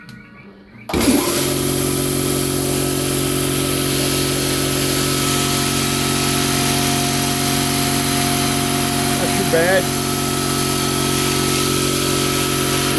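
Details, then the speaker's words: Quincy 5hp two-stage air compressor, newly installed on anchors over pads, fired up for the first time: motor kicks on and settles into a steady, even drone with constant whine, no knocks or rattles; normal. "this is about you know a little over 10 feet that's what it sounds like"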